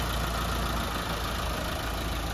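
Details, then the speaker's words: Mitsubishi Lancer 4G15 overhauled after it overheated, freshly rebuilt with piston rings still seating: steady, even idle hum at constant level, no knocks or ticks; normal, smooth idle. "Yan, suwabe na yung andar. Pero ang ganda ng response ng makina mga padi."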